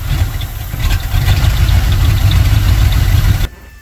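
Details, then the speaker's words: Carbureted engine after fitting a throttle return/kick-down spring, exhaust not yet complete: loud, deep rumble that pulses unevenly and surges before cutting off. Owner thinks it runs a little lean and the timing is slightly off. "As you can see, it's running a little lean. Might to mess with the idle and throttle."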